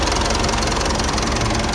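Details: Mitsubishi Pajero Sport automatic diesel with P2146 injector circuit fault and lack of power, idling warm after repair and new pump and injector learning. Even, steady clatter with no misses, surges or knocks; running smoothly and healthy.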